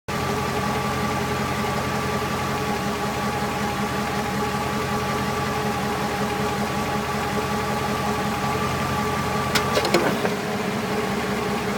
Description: 99 Dakota 4x4 with a 5.2l auto tranny, sounds like the noise is coming from the tranny but I'm looking for help, doesn't make the noise in park or reverse, only in neutral and drive, the first bit of noise is in neutral then the louder noise is when it's in drive